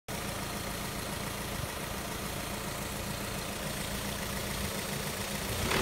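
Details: Engine heard from outside, idling then slowly picking up revs with an uneven knocking patter in the running sound; knock present, cause unknown.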